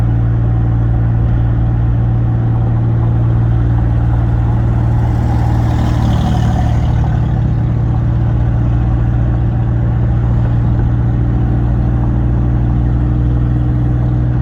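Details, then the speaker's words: 2004 Ford F150 pickup driving in third gear under load: steady deep drone, smooth and even, good power, no knocks, clunks or suspension noise; normal healthy engine while driving. "Driving pretty well. It's got good power. I don't hear any suspension noise."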